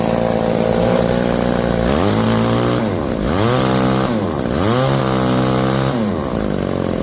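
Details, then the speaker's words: Old two-stroke chainsaw winch after carburetor cleaning and warm-up: revs up and down smoothly between idle and high speed, crisp throttle response, no bogging; normal running. "all right that sounds good to me let's hook it up to something and see what he can do"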